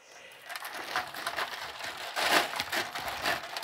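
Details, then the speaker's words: DIY yarn swift using a marble bearing, spinning while winding yarn: irregular crackly chatter of marbles rolling and knocking, loud and uneven; the marble bearing rattles, very noisy. "I'm telling you it this little Contraption works but it's really noisy so if you live in an apartment maybe not a good idea very very noisy"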